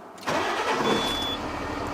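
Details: LGV truck daily defect check: quick crank catches straight away, settling into an even idle with no knocks or stumbles; oil and battery warning lights go off after start; normal engine start.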